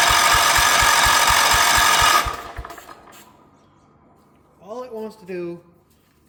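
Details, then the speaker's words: 1977 Wheel Horse B-100 garden tractor, good spark, starting fluid and a little throttle; sharp even pops about four per second while cranking, backfiring through the carburetor, won't start; owner suspects ignition out of time, unconfirmed. "is backfire through the carburetor. Doesn't actually want to start, which leads me to believe that it's potentially out of time."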